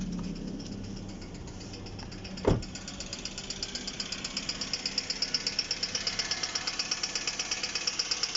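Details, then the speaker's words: Hyundai G4GC engine, nearly 200,000 km, knock since 180,000, constant for last 500 km, no effect on driving: steady light ticking about three per second at idle from the cam phaser side; owner suspects cam phaser, unconfirmed. "И вот такой вот звук стал постоянно, примерно 500 километров назад. Ой. Доносится он со стороны четвертого цилиндра. Ну, не четвертого цилиндра, со стороны фазовращателя больше. Так вот тарахтит."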